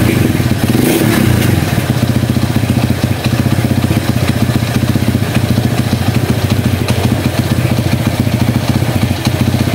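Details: Honda CB100 stored for years, after fixing clutch plates stuck from disuse that stalled the engine when shifting: steady even single-cylinder beat held in gear with clutch, no stalling; clutch now works.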